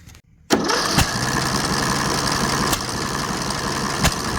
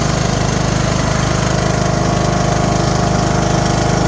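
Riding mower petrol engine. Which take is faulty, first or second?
first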